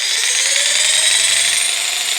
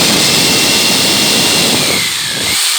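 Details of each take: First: Bosch PST 800 PEL 530 W jigsaw (220–240 V only) run on 115 V: steady high-pitched motor whine with a wavering strained edge, unlike normal running; abnormal noise from undersupplied voltage suspected. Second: Bosch PST800 PEL 530 W jigsaw running on 240 V: steady high buzzing saw note cutting through wood at full speed, brief dip as the cut finishes; motor runs strong and even, normal cutting.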